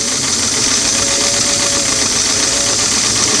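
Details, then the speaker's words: Singer sewing machine on a restored clamshell foot pedal after quarter-turn adjustments, four carbons removed: steady, even high whir run full-out with no surging or catching; the pedal is getting pretty close to properly adjusted. "we can go full-out - so this is encouraging we're getting we're getting pretty close here nice"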